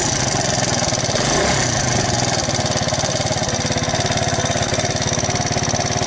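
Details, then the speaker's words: Alpha moped small single-cylinder engine, rebuilt with 110 crankshaft and piston kit, 72 head, new bearings; first start after reassembly: fast, even ticking over a steady idle; valve tap, later fixed by removing gasket and adjusting valves. "А вот теперь слышим стук клапана"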